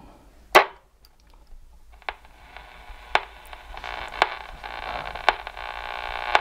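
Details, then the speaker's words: 1960s Channel Master 6506 six-transistor AM radio after repair of antenna wire and capacitors, band scan: hiss and bursts of stations as the dial sweeps, tuning clicks about once a second; pulls in signals cleanly, normal reception. "I was listening to it the other night and it was picking up pretty well it was picking up stations in Ohio and Kentucky and of course the Chicago area was coming in pretty good"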